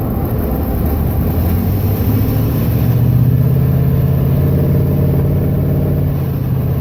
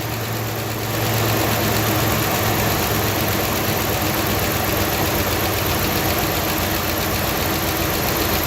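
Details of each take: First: 2011 Ram 1500 5.7 Hemi MDS, phone mic under hood while driving and coasting down: light tick over road rumble, like a playing card slapping in spokes; timing chain tick from worn cam phaser and tensioner, fixed by replacing both. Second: 2011 Ram 1500 5.7 Hemi MDS, after timing chain tensioner and cam phaser replacement: brief noise clears once oil reaches the engine, settling into a steady, even V8 idle with no ticking or knocking; healthy.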